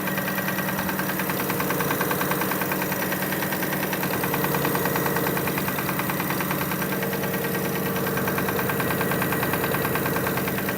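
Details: 2005 Kia Sorento at steady idle: a light, fairly regular knock about three times a second over the engine hum; engine knocking, source not yet diagnosed.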